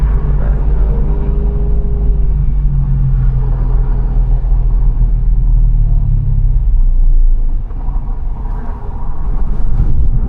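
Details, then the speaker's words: BMW E90 M3 V8, 6-speed manual, driving after fixing an exhaust rattle/leak (owner unsure it was tightened enough): deep, smooth rumble under way with no rattle or rasp, much less raspy than before. "That sounded kind of cool. Um, lot le a lot less raspy than I recall."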